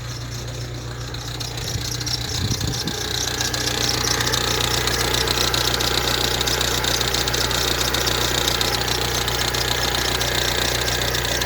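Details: Ford Transit Connect diesel idling, with new vacuum pump, high-pressure sensor and cam sensor fitted: quick, fairly regular tapping near four per second over a steady hum; owner suspects the power steering pump, unconfirmed.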